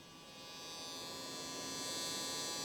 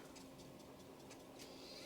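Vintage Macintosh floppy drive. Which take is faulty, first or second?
first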